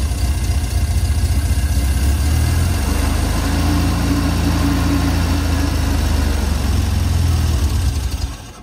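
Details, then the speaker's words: Steyr Puch Pinzgauer 710M after the fuel pump was rebuilt and primed: the engine catches cleanly and settles into a steady, even low rumble with no knocks; fixed. "everything is back together now and it should start easily so it looks like it's fixed"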